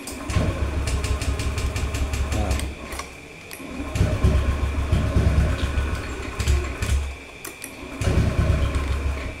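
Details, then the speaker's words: Motorcycle with fuel pump not humming at key-on, battery too weak so a charger assists, MIL shows no fault code; starter churns in repeated low rhythmic bursts without the engine catching; cranks but will not start. "Oke, tidak mau menyala. Coba di engkol Bapak ya."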